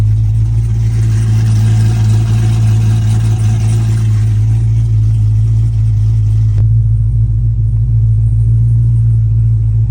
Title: For sale $8,500 misfires like crazy 🤪 #shorts #dodgecharger #srt #automobile